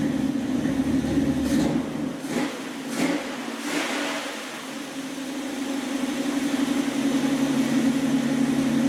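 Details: 1976 Dodge Dart V8 warming up, settling into steady idle after mixture adjustment on a rebuilt Edelbrock carburetor that replaced a 780 vacuum-secondary Holley; slight lumpy lope from a mild cam, even running, healthy.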